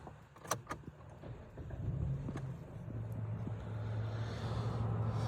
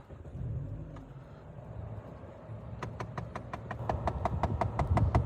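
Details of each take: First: 2013 Dodge Avenger petrol engine starts after a couple of handling clicks and settles into a smooth, low idle hum with no ticking, after the faulty part was unclipped and left disconnected; it previously ticked at every start. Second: 2013 Dodge Avenger, bought cheap with an engine noise the previous owner couldn't diagnose: sharp, even ticking about five per second over low engine rumble every start-up; not an engine problem, traced by removal to a clip-in part that needs replacing.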